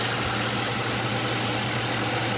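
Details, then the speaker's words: 2010 Mercury Grand Marquis at idle: a steady engine note with a fast, light fluttering buzz, judged external rather than from the base engine. PCV valve flutter. "oh wow I just realized where that noise is coming from so you guys got a twofer today this should be a pretty interesting video for Ally to go out there so I can already tell you right now it's the PC debo"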